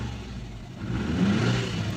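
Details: Subaru Forester petrol engine after mass airflow sensor replacement and fault code clearing revs smoothly from idle and settles with no stumble, surge or misfire; previously misfire, rough idle, check engine light.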